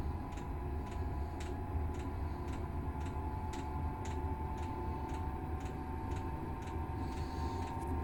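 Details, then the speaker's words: Chinese diesel air heater in a garage during start-up: the fuel pump begins light, even ticks about twice a second over a faint hum, its normal pulse rate before the heater fires up. "right fuel pump has started making a little clicky noise that's the sound that's the pulse rate you generally get at three"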